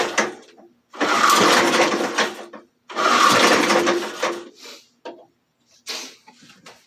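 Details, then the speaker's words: Antique J.C. Penney push mower with a 4 hp Briggs engine: two long pull-starts and a few short tugs with no catch. The engine cranks but won't start; the owner suspects a carburetor issue since it seems to have plenty of spark. "so it should have started with those first few pulls so we got a carburetor issue i believe because it sounds like it's getting plenty of fire"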